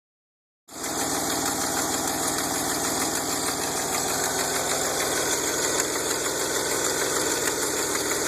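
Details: DeLorean, VIN 4534, at idle before an aftermarket exhaust kit was fitted: a sharp, even tick about three per second over the engine, from an exhaust leak.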